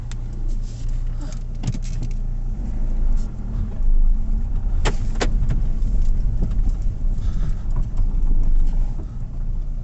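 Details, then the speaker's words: Car rocking side to side while driving, clunks worse on bumpy roads: scattered sharp clinks and clunks from the front suspension. Suspected ball joints, lower arm bushes or anti-roll bar drop links. "so when you're driving and the car is rocking sort of left to right you can hear all sorts of clinking clunking"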